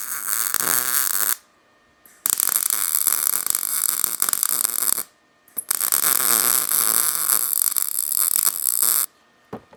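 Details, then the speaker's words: MIG welder on low amperage filling a corner on 1941 Mercury sheet-metal glass work; crackling, spitting bursts with short gaps, normal short-circuit welding. "how the welders popping and spitting? It's called a short circuit welding. It's like blowing a fuse."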